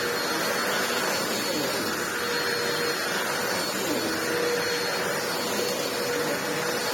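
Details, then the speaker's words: Ewbank Motion EW3001 corded upright vacuum after service, bottom refitted: steady even motor rush and airflow hiss, no rattles, surging or flapping; running normally. "Just going to get the bottom back on, and now that the bottom has been serviced, it should pick up incredibly well."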